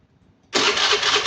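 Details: Fuel-injected motorcycle with a simulated fuel pump failure: starter kicks in sharply and whirs steadily at even pitch but the engine never catches because the pump delivers no fuel to the injector; crank no start.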